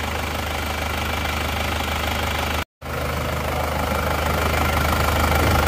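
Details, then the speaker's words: Isuzu Panther Touring diesel that ran out of coolant on the highway, with low compression on cylinders 1–3 and adjusted-pressure injector nozzles: steady, even diesel idle with regular low clatter, no misses or knocks; sounds smooth. "berjalan. Suaranya halus."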